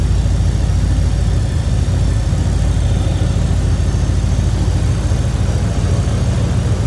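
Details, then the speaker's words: 1956 Pontiac Chieftain Catalina coupe (Series 860) with a stock-looking engine bay: a deep, even V8 burble at idle with a steady low pulse and no ticks or knocks. Normal idle. "Pretty stock looking engine bay. Sounds good, looks good underneath here."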